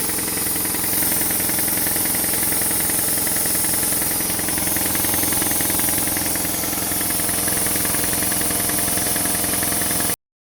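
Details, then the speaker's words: Repaired compressor with a brand new motor, which previously would not restart with air in the tank. After draining from just over 100 psi, it starts with steady pumping chatter of about 3.5 beats per second over a hiss: normal running. "yep started up just like it should that's"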